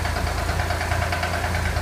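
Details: Corvair engine at steady idle with a dull, regular, loud constant knock on every few firing pulses; owner wonders if it is rod noise, source not pinned down.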